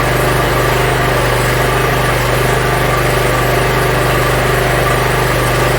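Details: Yard Machines (MTD) 42-inch riding mower, small single-cylinder engine, after carburetor cleaning and freeing a stuck emergency shut-off: even, steady idle with a constant rapid beat, no stumbles or surging; runs pretty good.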